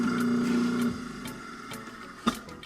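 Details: Garbage disposal after teardown and cleaning, first run once reassembled: smooth steady motor whir for about a second, then clean spin-down with no grinding or rattle; runs normally.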